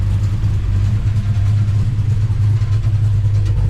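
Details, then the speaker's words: Mercury Cougar Eliminator, Ford V8 at first start after correcting firing order to 15426378, initial timing about 14°: deep, even burble at idle with steady low rumble, no misses or knocks, only some spring rattle; sounds healthy. "it's got a nice sound other than the Springs rattling but it sounds good"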